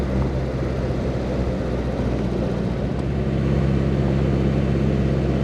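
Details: 1961 Triumph TR3A on the road after fitting a Pertronix distributor with integrated electronic ignition to cure power loss from timing drift: steady, even engine drone pulling smoothly, no pinging or misfire.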